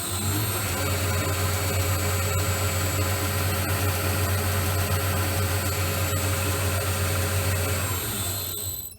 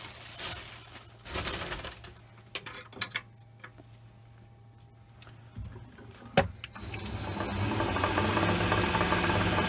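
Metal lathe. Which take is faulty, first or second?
second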